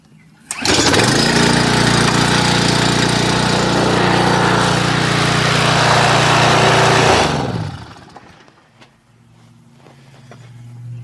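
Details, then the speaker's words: Briggs and Stratton pressure washer engine after installing a new aftermarket pump and fixing a gas leak with a new gasket, run without water: catches within a pull, even steady drone with no misses or knocks, winds down cleanly; healthy, no gas leak. "Yeah, sounds good. It's not leaking any gas."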